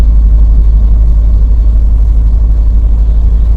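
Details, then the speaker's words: Truck diesel (KamAZ/Dongfeng) running after downshift with brake pressed, air pressure climbing from 11 to 12 bar: deep rhythmic thumping about three beats a second under heavy rumble, the air compressor pumping loudly; commenters link the noise to Euro 5 compressor, not confirmed. "вот это шум это именно компрессор начинает так работать то есть я вот наблюдал прежде чем включить камеру Да я понаблюдал за этими моментами попробовал как говорится догадаться и выяснить все-таки Что это с работы срабатывает"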